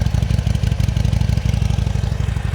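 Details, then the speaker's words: Salvage Harley-Davidson motorcycle, running after one fuse was replaced: a low, even V-twin idle, very quiet with no knocks or missed beats, though the engine light stays on; normal idle. "That sounds alright. Engine light's still on. Very, very quiet for a Harley."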